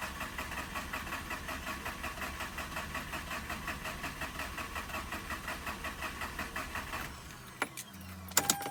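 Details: Mazda RX-8 rotary that died while parking, cranked with extra power applied to a battery showing 12.1 V: even pulses about four per second for seven seconds, never catching. Crank, no start; the owner blames not pre-mixing oil and a weak battery.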